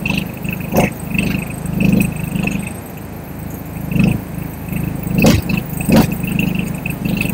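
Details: APR MIG 135 inverter welder, reported broken when new, tested after MMA: MIG weld gives uneven crackling bursts over a thin steady high whine; normal MIG arc.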